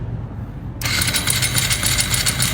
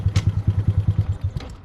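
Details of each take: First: 2025 Honda Grom after a mechanic's faulty oil pump and upgraded clutch install left no oil pressure: in a parking lot, a harsh metallic clattering crank for about two seconds, no firing, then an abrupt stop. The engine seized from oil starvation. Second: Freshly rebuilt 2025 Honda Grom on its first ride with the motor likely unstarted for some time and still to be broken in: even thumping about ten beats a second, steady with no clatter or misses. Normal, healthy idle.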